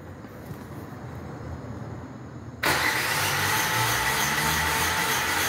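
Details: 2017 Renault Logan three-cylinder, misfiring with no power and no idle despite new coil and plugs, cranked during compression test: steady even starter cranking about two beats a second.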